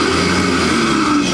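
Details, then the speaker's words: MrLiance 1000 psi 3.1 gal electric pressure washer with hose disconnected below, run briefly to purge water and dry the pump after a hot day's use: steady motor and pump whirr with busy mid-range hiss; runs normally. "Now, another thing you can do too is what I'm going to do is I'm going to disconnect the hose from below. That way we get all the water out of the hose. I'm going to turn it on just for a second."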